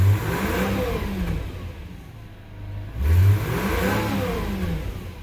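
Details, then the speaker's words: 2006 Subaru B9 Tribeca just after engine installation, coolant bleeding with heater at max: throttle blips, revs rising smoothly and falling back to steady idle; healthy engine. "it's hard to get it to 3000 but i'm getting it to four but there's five and then i'm gonna stop the engine"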